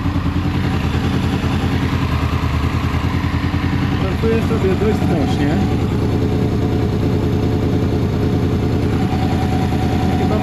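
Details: Honda VFR800 VTEC V4 after timing and valve work, warmed up before throttle body synchronization: uneven, loping idle pulse around three beats a second; throttle bodies badly out of sync, later synchronized and it runs completely differently.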